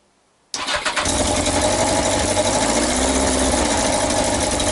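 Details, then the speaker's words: Yamaha XJ900S Diversion motorcycle first start after restoration; fast idle with sharp rapid puffing tick on each firing and smoke, exhaust blowing at a front header joint, gasket slipped or needing more tightening suspected. "exhaust is blowing get out of it too smoky in here isn't it"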